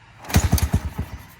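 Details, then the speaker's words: Mini bike after sitting a long time, cold start with gas, choke and ignition on: half a dozen uneven pops over a second that die away; firing but needs throttle, then it catches and idles. "It's going, it's firing. Just needs throttle."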